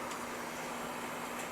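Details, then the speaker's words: Patio heater that lit then went out, after repair and lit first try: a steady, even gas roar with no popping, sputtering or flutter, working on high and low; the burner is burning cleanly. "very nice and it's got high it's got low and it goes back out"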